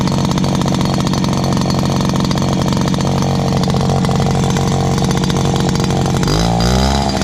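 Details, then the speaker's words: Dad's old backpack blower, about 39.7 cc two-stroke, choke only and no primer, first start of 2019. A loud, steady buzz holds even speed, then revs rise cleanly near the end. Loud but runs really good. "Oh yeah, this is a loud one, but it runs really good."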